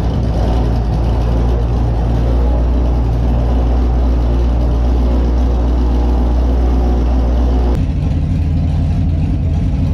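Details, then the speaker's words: Holden Monaro with an aftermarket cam, warm at 81 degrees: lumpy, uneven idle that splutters, runs rich and blows smoke. The cam is thought to have put the tune out; refitting the PCV and breather didn't help. "doesn't seem to idle when it's warm the cam has put the tune way way out and making it run rich because it tries to idle and it splutters and it blows smoke"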